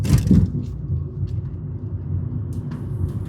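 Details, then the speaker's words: 2013 Fiat 500 Lounge, gearbox whirr in gear and reverse under acceleration, coasting downhill in neutral with a rev blip: low even road rumble, no whirring or whine; owner concludes a new gearbox is needed. "It's whirring too much through the gears and the reverse. And when you knock it out of gear, you don't hear any whirring,"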